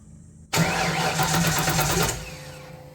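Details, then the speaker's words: Fox Body Mustang after long sitting: starter spins quickly about 1.5 seconds without catching; spark confirmed and fuel pressure present; owner unsure whether junk fuel or plugged injectors, odd it doesn't even bark. "it's odd that I don't have any bark at all even with really bad fuel"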